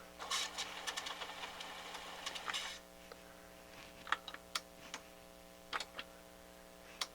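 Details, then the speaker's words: Pioneer CT-8R direct-drive cassette deck: whirring and clatter, then isolated clicks every second or so as the mechanism cycles without engaging play; head/capstan pinch-roller loading fault, motors low on torque, possibly dried-up lubrication suspected. "okay play does not want to play he does not want to play at all"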